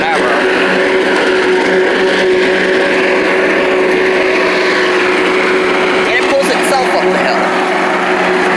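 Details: Old Rover Turbothrust mower built in Brisbane, Australia, no battery fitted, cutting grass into the bagger: a steady high-pitched buzz holding an even note, no stumbling or surging. Normal running under load; owner thinks the brake shoe may need replacing.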